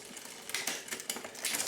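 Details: 1999 Diamondback Sorrento mountain bike after rebuild with new chain, chainset, cables, and barrel adjuster tuning: quick light clicks as the chain moves across, then a quiet tick without grinding, a clean front shift.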